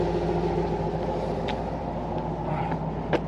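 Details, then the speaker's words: V8 truck idling after a new MAF sensor and O2 sensors were fitted to fix lean codes P0171/P0174 on banks 1 and 2: low, steady, even idle with no stumble or hunting, and the exhaust smells good. "after it's been inside the engine and you can hear it's got a very nice smooth idle smells good too as far as exhaust"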